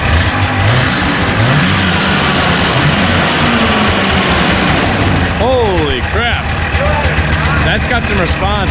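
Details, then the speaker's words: 1989 Arctic Cat Jag 440cc two-stroke snowmobile, first startup after carb clean and needle work to fix fuel delivery: revs up crisply to a strong, even buzz, answering throttle cleanly with no stumble or misfire; it works. "this is the first startup after we just did that carb clean and the needle thing and all that crap so caleb's going to go ahead and try to fire up sounds much better"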